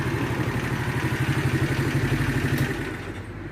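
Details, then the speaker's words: Shineray 50cc motorcycle after repair of an engine knock, cam chain replaced and shortened by two links: steady low idle about four beats a second, no clatter or rattle on top; engine now quiet. "aqui nós motorzinho dela da tá bem caladinho é já trocou a corrente informando tirou o dente da corrente com dois dentro da corrente de comando"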